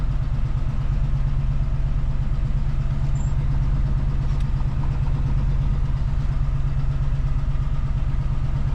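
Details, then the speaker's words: 1973 Chevy C20 V8 before sound deadening, in-cab decibel meter reading about 65 dB at idle, cab near transmission about 130 degrees: deep even rumble at constant idle, steady beat, no knocks or ticks; normal baseline idle. "here's kind of a baseline idle i hope you guys can see that"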